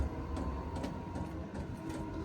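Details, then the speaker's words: VEVOR 8K diesel heater on its first run in an 8.5x16 enclosed trailer, cold inside. A steady, low, furnace-like roaring burn with a faint regular ticking fuel pump over it: the heater is firing evenly and running normally. "it sounds like a furnace running. It sounds like an RV furnace, the firing noise that it makes. Only thing's different is the pump noise."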